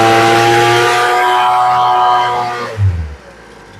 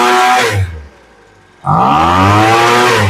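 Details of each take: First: Poulan Pro two-stroke leaf blower after new fuel lines and adjusting the low and high carburetor screws about half a turn: snaps up to a high, steady wail, drops back, revs cleanly again without hesitation. Normal full-throttle revving. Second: Poulan Pro leaf blower, after adjusting the high-speed mixture screw (farthest from block) half a turn: revs drop to idle, then snarl climbs with a brief lag on takeoff — acceleration hesitation from mis-set high-speed mixture.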